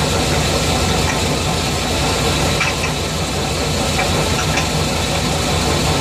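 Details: 350 TBI V8 at steady idle, recorded just behind the driver-side front wheel: uneven knock about three a second; owner suspects the flex plate, not confirmed.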